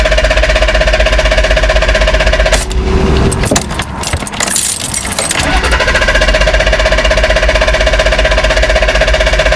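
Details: BMW E34 520i: the steady idle cuts out abruptly when moving off in Drive, then cranking and clatter before a reluctant restart. High hunting idle; plugs, fluids, filters and ECU already replaced. Vacuum leak suspected, but the intake air temperature sensor reads -36°C, likely the cause.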